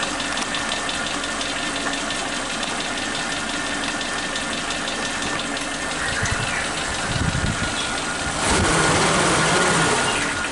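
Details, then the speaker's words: Suzuki Katana engine on point ignition, idling after the old spark plug wires were replaced with new ones: RPM very stable, even beat with no dips or pauses, slight rise near the end; normal idle. "teman-teman, RPM-nya sangat stabil ya, tidak ada turun-turunnya sedikit, tidak ada jeda-jeda turunnya seperti yang sebelumnya. Sangat stabil."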